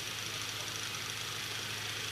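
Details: Late-1920s Victor Jr fan revived after years written off with a rusted-solid motor, run for a while to check overheating and bearing noise: steady hum with even airy blade rush, no rumble, rattle or scraping. Normal running.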